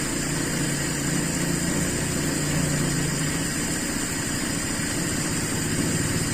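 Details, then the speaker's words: Carbureted Toyota Kijang Super cold start after sitting 8 hours, following jet changes: smooth but slow, soft idle below standard with an even beat; needing the gas pedal indicates the mixture is still too lean. "jadi perlu diinjak pedal gas itu berarti campuran masih terlalu miskin"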